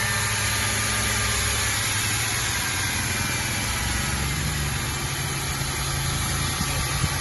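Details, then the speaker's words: Ford Mustang 3.8 first start after cylinder head reassembly, cooling system still off: after one stall blamed on the filter, the engine settles into a steady, even idle with a smooth low hum and no knocks or misses; sounds healthy. "Let's go. First start. Yes, that sound is good."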